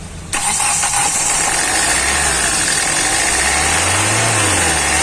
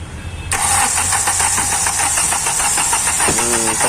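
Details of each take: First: Hyundai i20 1.4 CRDi diesel with Delphi injection, earlier low rail pressure and no start, fixed by replacing a faulty injector: engine catches promptly and settles, revs swelling and easing a couple of times, no misfire or knock; healthy start. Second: Hyundai i20 CRDI 1.4 Delphi diesel, low rail pressure, no codes: fast, even cranking at about five beats a second that never catches; no start from excessive injector return.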